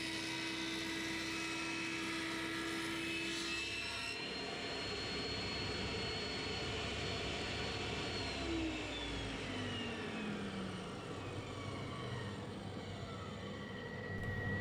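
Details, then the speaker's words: Triton saw bench with dust extraction: steady high whistle of air sucked around the idle blade, tones sliding down as the saw winds down; blade suspected getting blunt; normal dust extraction airflow whistle. "The whistling that you can hear before I actually fire the saw up, or while the saw is not running, is the dust extraction system sucking air around the blade."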